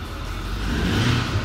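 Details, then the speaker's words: 2008 Ford 550 with 6.4 diesel revved after replacing the exhaust gaskets and studs (turbos already new): smooth, deep, even rev with no whine or hiss; the exhaust-leak whining noise is gone. "There you go. No more noise, guys. It's fixed."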